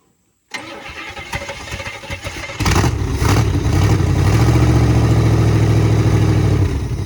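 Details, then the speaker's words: 1966 Buick Sport Wagon V8 after repairs, dead cold, idle turned up slightly: starter cranks a couple of seconds, then it catches and settles into a steady, even idle on all eight cylinders, with oil reaching the spinning pushrods. "up wow listen to that that is all eight baby that is all eight and we got oil all the push rods are spinning it sounds great"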